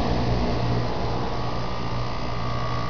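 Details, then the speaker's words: Heat pump after fan motor replacement, compressor short-cycled three or four times before staying on, capacitor suspect: steady even hum, constant mid tone, no knocking or scraping; condenser fan motor running normally. "but ban works great that's pretty cool how it looks like the blades actually spinning slow right"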